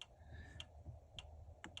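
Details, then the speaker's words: Bailey Pageant caravan power supply unit with flickering lights: sharp uneven clicks about five in two seconds over quiet hum; suspected PSU fault or insufficient current, possibly damaged cable, unconfirmed. "If you can hear that, it's clicking, which leads me to believe either it's got a fault or it's not getting enough current."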